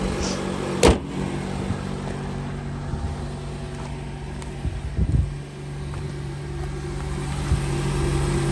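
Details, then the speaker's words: 2009 Honda CR-V idling just after catalytic converter replacement for P0420 and clearing codes: even, low engine hum with steady pitch and no puffing, ticking or hissing; no exhaust leak. "And she sounds beautiful. No exhaust leak."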